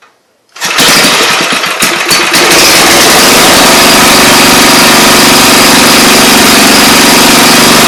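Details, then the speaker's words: 5 HP Briggs & Stratton engine after carburetor replacement, running: loud steady high-pitched screech over engine note from centrifugal clutch gathering debris, needing removal and cleaning. "so what that noise was the clutch I need to be taken off and claimed it was kind of gathering on there so that's what that loud screech noise was"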